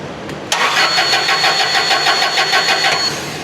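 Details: Toyota LPG forklift: steady starter cranking about three beats a second for two and a half seconds, never catches; no gas reaching injection rail due to a broken internal wire to the fuel solenoid valve.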